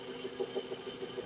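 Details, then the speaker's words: VW EA111 1.6 engine (2010), quiet idle with a thin pulsing chirp about six times a second; air conditioning belt slipping and squealing, noise stopped when the old belt was refitted. "Motorzinha A111, um P 2010, 1.6, mas aqui é o barulho aí, ó. Correia do ar condicionado."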